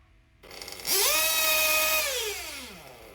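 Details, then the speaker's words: RC 1/8-1/2 scale nitro engine: buzzy pitch climbs sluggishly as throttle is pulled, holds briefly, then sags; more smoke, revs rise slower and not as high; rich mid-range carburetor setting loading up the engine, similar to a rich low-speed needle. "so so again it's like a bit similar to a rich low-speed needle it's loading up the engine as i pull the throttle"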